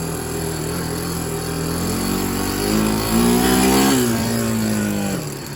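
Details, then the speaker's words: Barn-find Big Red 250 three-wheeler single-cylinder, leaking gas out of the tank: revs up and settles with a light, fairly pronounced tapping over the exhaust note; engine tick, cause not pinned down, otherwise runs okay. "it's got a pretty pretty good tick there and it's leaking gas out of the tank so that's not good it runs okays"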